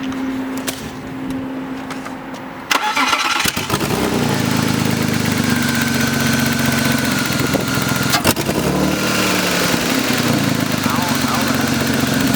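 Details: BMW E36 after coil pack replacement for a misfire: starter whirs briefly, engine catches cleanly and settles into a steady, even idle with no stumbles or skips; misfire fixed.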